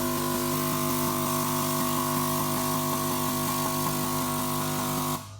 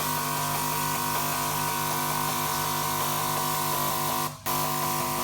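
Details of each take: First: Key Technology VitiSort ejector-valve test after the unplugged valve is reconnected; steady hum with a quick, even run of light clicks through all 128 valves, stopping cleanly; every valve fires, all working. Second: Key Technology VitiSort sorter cycling through all 128 ejector valves: rapid regular clicking with a clear gap where valves 97 and 98 stay silent, not firing; next check the valve driver board.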